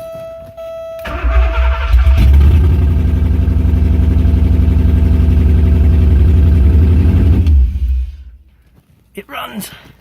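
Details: Porsche 928 V8 (tan car) started after sitting all winter, first start in 15+ years: cranks and catches, then settles into a deep, lumpy, steady burble through open headers with no misses; non-start traced to crank position sensor connector.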